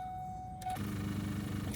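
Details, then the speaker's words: 1996 Ford Mustang GT convertible, manual, start attempt: chime, then about a second of sluggish, labouring cranking that dies without firing; dead battery, voltage gauge barely moved. "Well, I guess we're not going anywhere. It would appear that I've got a dead battery."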